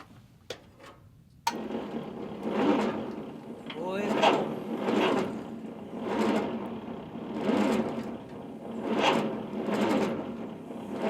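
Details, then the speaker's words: Allis Chalmers D17 tractor in snowy weather: the starter turns the engine over so slowly that individual gears can be heard, with one laboured swell about every second and a half; owner considers jumper cables to speed up cranking. "wow thing is turning so slow you can hear the individual gears as it's turning"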